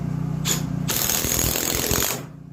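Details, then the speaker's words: Impact driver driving a big screw through two pieces of wood on a clamped block, with a generator in the background: rapid hammering ratchet chatter for about a second as the screw bites. This is a healthy impact driver under load. "that ratcheting noise that you heard prevents this piece, this bit, from backing out of the screw."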